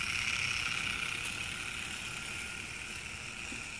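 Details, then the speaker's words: Märklin 3090 locomotive after adjusting the reverse unit relay spring, which had caused stops at high speed: steady even high-pitched motor whir at full speed without dropping out or stalling; works perfectly. "works perfectly I hope my video was helpful thank you for watching"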